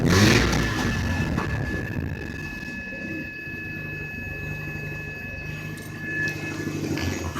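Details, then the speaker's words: 1980 Mazda RX-7 with 12A rotary engine, bought days earlier, suddenly shook and stalled, then jittery at low rpm, lagging, smoking and backfiring; with the carb filter cover off, uneven running and a steady high whistle or purr rise as the throttle opens; cause unknown. "but all of a sudden it started lagging it started backfiring kinda and it makes a weird noise when i would I step on the gas"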